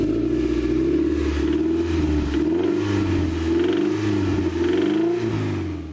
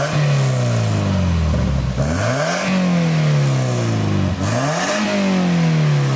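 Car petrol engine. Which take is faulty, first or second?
first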